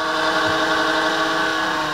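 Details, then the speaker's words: Creality Ender 3 3D printer's 24 V power-supply (PSU) fan: a steady, high, rough buzzy whirring drone. It quiets down somewhat once warmed up but still sounds horrible; a cheap, worn fan the owner plans to replace. "just that sounds horrible so which is kind of another problem with quality printers is that the fans kind of suck"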